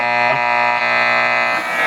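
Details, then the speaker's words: Admiral 5R12-N tube radio on AM: a steady, coarse buzzing tone at constant pitch covers the station because of poor reception. LED lights in the room are suspected as the interference source, not confirmed. "we don't get good uh reception in here for some reason on AM."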